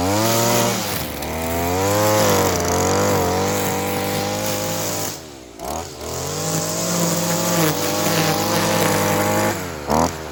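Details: Stihl FS55R string trimmer two-stroke after carburetor repair (new diaphragm and primer bulb, low-side fuel adjustment), warmed up: high steady buzz holding revs cleanly with quick smooth blips and dips; running good, dialed in.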